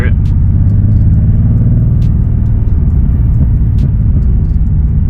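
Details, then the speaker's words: BMW M20B25 engine in an E30, right after a drive: low, uneven lumpy idle with irregular stumble; misfire from fouled spark plugs, which this engine fouls every ~300 miles on two or three cylinders. "Um, the spark plugs just went out. So, they're fouled out as you can hear"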